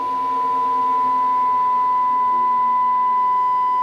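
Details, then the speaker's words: Amplifier load test with a steady test tone gaining faint edgy overtones as load rises; clipping begins as the filter capacitor rails sag from about 96 V at rest to 70 V, a 25 V drop per channel; the planned fix is reinforcing the thin board traces. "ahí ya empezó la distribución tenemos una honda limpian 70 70 bolsas pero vemos que de 95 a 70 si tiene una caída importante tiene 25 volts de caída de tensión cada canal"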